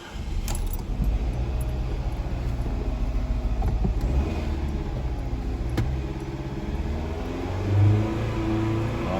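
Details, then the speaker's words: 2018 Fiat 500 after diesel was put in tank, held around 2500 rpm: low uneven choppy stumbling misfire; spark plugs severely damaged, residue damaged valves causing lost compression; injector cleaner additive considered. "emente lo que aquí está pasando es que uno lectores un momento fallan y produce el mismo y usted eso ya lo limpiamos vamos a tener que echarle más gasolina y quizá le vamos a echar un aditivo para limpiar inyectores"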